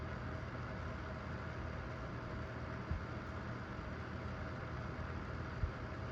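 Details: Vornado Flippi V10 personal fan on speed two: soft, steady low whoosh with no ticking, rattle or wobble; normal smooth operation.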